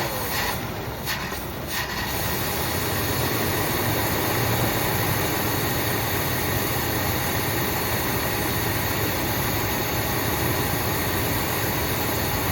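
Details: 1979 Buick Limited Landau, 350 Buick V8, first run after long storage, old gas drained, new fuel pump, some two-stroke gas in fuel, smoking a little: loose, uneven low rumble behind hiss, unsteady beat; rough idle.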